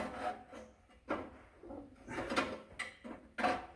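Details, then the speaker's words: 1954 Chevy, engine turned over by hand after being freed up: slow, uneven squeaky scrapes as the badly bent oil pan rubs the flywheel; pan confirmed as the noise source. "it might be this Pan the pan might be hitting the flywheel cuz it's so bent up now"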